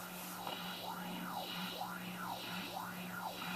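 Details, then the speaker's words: Peavey Heritage VTX guitar amp of unknown condition, bought at auction: phaser turned up gives a Leslie-like shifting sweep, amp hiss whooshing up and down about twice a second over steady hum; phaser working. "Oh, this has that cool pull and shifty thing. I remember these. They sound like Leslie's. Okay, I can hear my hiss. Listen to the hiss. Can you hear it going whoosh, whoosh, whoosh?"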